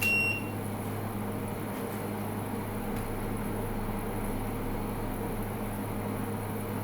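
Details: Midea U 8000 BTU window AC at 108°F outside, stepping from low (about 4.4 A) to medium: short high control beep as fan steps up, then steady compressor and fan hum continues evenly.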